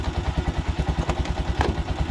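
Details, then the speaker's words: TMX single-cylinder motorcycle idling during a relay and charging-system check: sharp clatter on every beat, about nine a second, from the top end; loud valve tapping from the head, said to be a common TMX issue. "Kaya lang mayroong masyadong malagitik ng head niya. So sadya lang ganyan naman ang issue ng mga PMX."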